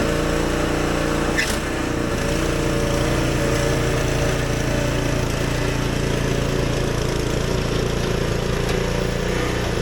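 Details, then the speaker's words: Husqvarna ST124 snowblower, 212 cc single-cylinder engine, running; uneven slightly stumbling beat with occasional pops and surging, attributed to lean factory fuel setting; spark plugs also suspected. "You can still hear the popping noise. When I first purchased this Husqavarna snowblower at factory, they make these really lean when burning fuel."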